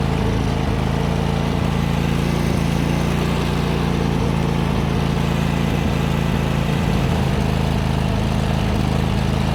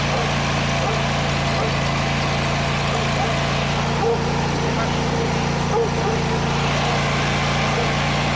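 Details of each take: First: John Deere GT245 mower running rich and misfiring, suspected starved for air by plugged air cleaner, owner also suspected ignition coil: loud, uneven chugging with irregular stumbles; black smoke, owner suspects overheating or possible blown head gasket. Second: John Deere GT245 mower single-cylinder previously running rich and misfiring, after clogged air cleaner replaced: settles into steady, even run with no misfire or stumble; fixed by new air filter.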